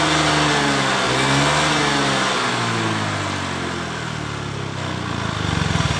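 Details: Honda Beat PGM-FI scooter revving during a water-spray misfire test: pitch rises and falls evenly with no popping or stumbling; engine runs normally.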